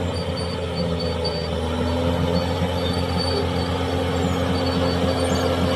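Steady high metallic squeal and screech runs over the dozer's engine drone throughout; undercarriage wear suspected, likely idler or rollers.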